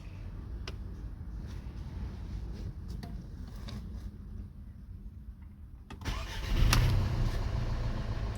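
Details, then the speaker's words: Skoda Octavia 1.8 TSI turbo after repair of hot no-start, coolant at 105 °C, high-pressure pump pressure holding: brief ticking, then the hot engine fires promptly and settles to a steady even idle; control start confirms fix. "так можу констатувати що автомобіль відремонтовано можна віддавати робимо контрольний запуск"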